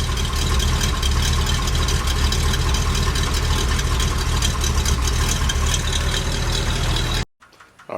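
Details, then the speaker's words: K30 fire truck after new tires, new mufflers and coil fixed again, warming up at idle: a steady, even low rumble with no knocks, misses or exhaust rasp. Normal idle. "like my dad's old international truck let her warm up a minute here I think it sounds okay"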